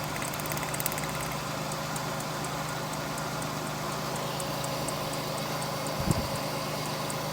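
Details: GM 3800 V6 (Pontiac) idling smoothly and evenly with a steady low hum, no stumble or skipped beats, after the ignition fix for a P0300 misfire code; sparks confirmed at cylinders two and five, all cylinders firing cleanly.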